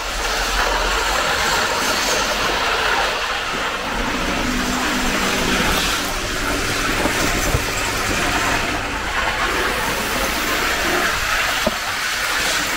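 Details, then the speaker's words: 1980s Hornby APT model train circling the track after a ringfield motor upgrade kit replaced its worn armature; an even, steady whirr with light track clatter and no surging or hesitation. Normal running. "once you've got the new motor in it's running like a Little Dream you can see it tilting around the corner"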